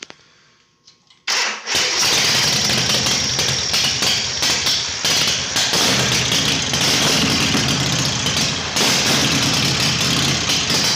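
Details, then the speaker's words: Harley Shovelhead chopper V-twin after new battery, solenoid rewiring and ground fix, engine hot during carb adjustment; catches and runs but beat stays uneven and lumpy, never settling to steady idle; owner suspects it needs jetting: rough running. "it's hot does it sound like it's getting any better no maybe it just needs to be jetted"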